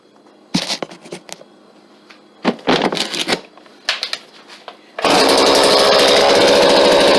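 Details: McCulloch Mac chainsaw after cleaning dirt and debris from flywheel and cooling fins, new fuel lines and cleaned filter: a few cord pulls, then it fires and holds a steady, high buzzing run without stumbling or surging.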